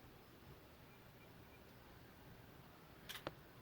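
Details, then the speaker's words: LG 60PV250 plasma TV that turns on and off with no display: the power board relay clicks twice as the TV tries to start, then cuts out. The VS voltage measured zero. "first you hear the power board clicking then it's click off so let's see if we it's click again you can see the light is go on try to turns on and it's go off"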